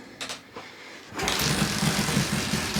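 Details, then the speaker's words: 1977 Suzuki GS750 first start after brake cleaner was sprayed into the carbs with pod filters off: a few cranking coughs, then it catches into a steady, busy idle and responds well to throttle. Normal running. "right so as you can see it ran pretty well was even able to give it some throttle and it responded pretty good to that"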